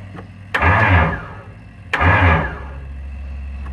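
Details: Kohler Magnum 20 engine, first start attempt after repairs: two short cranking bursts, each cutting off after about half a second with a whirr as the starter disengages; starter slipping, with broken starter magnets suspected but not confirmed.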